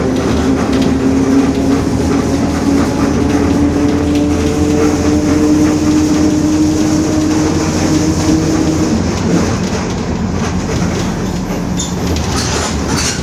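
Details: 2021 Marcopolo Torino S bus on Mercedes-Benz OF-1721 BlueTec 5 chassis, urban service, cruising: steady low-midrange droning hum over drivetrain and road rumble, fading near nine seconds; growling differential.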